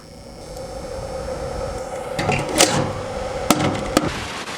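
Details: Electric bicycle charger: steady mid-pitched whir with hiss from its small cooling fan, noisy from dust and dry bearings.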